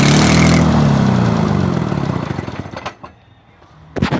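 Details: Detroit 6V92 two-stroke diesel, first start after overhaul: a loud rough roar winding down into rapid firing pulses, then a short throttle blip. Normal revving for the freshly rebuilt engine.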